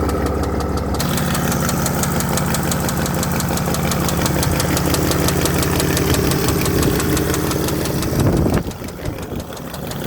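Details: 2007 Mercedes GL320 CDI 3.0 V6 turbo diesel (OM642), 138,000 miles, idle; steady hard knock about three a second over the rumble, started after new turbo was fitted.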